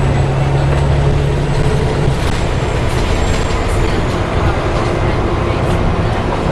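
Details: Alexander ALX400 bus, fleet 665 (W665 CWX), in service: low howling tone over loud road and engine noise while driving, fading after a couple of seconds; cause unclear.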